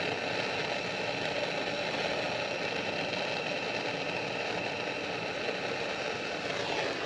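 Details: 1998 Chevy K1500 after axle swap and fuel pump wiring splice repair fixing no-start and blowing fuses: steady even idle hum with no stumbles, knocks or misfires; runs cleanly.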